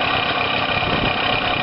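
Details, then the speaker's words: Two-stroke engine first running after engine-failure rebuild, coil wire reconnected, exhaust refitted, flywheel cover not yet refitted; steady, buzzy idle with even beat, no knocks or misses: normal idle. "Bon, ça y est, elle tourne. Mais bon, faut faire attention, j'ai pas remis le carter de volant."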